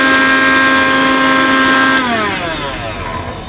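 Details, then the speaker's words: Philips mixer grinder motor run with the jar removed: smooth, steady high whine dropping evenly in pitch at switch-off; motor is fine, the noise is in the jar's broken or worn blade bush. "तो हमारा गिलास निकालने के बाद mixer बिल्कुल सही चल रहा है तो यह गिलास में प्रॉब्लम है"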